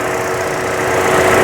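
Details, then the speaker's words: 2014 Buick Encore 1.4L turbo, after fixing squeal, rough running and lean code with work on the wastegate solenoid and throttle body gasket: smooth steady idle with no squeal, hiss or misfire; runs much better. "so there it is back together and running runs much better now"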